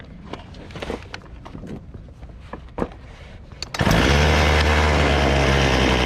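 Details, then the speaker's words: Chainsaw after carburetor adjustment: low-speed jet set midway between the stumble points, high-speed jet set by revving until it sounds good. After some handling clatter it fires up and holds a steady, even, high-pitched buzz with no stumbling. "then to adjust the high speed you just rev it up and adjust it until it sounds good"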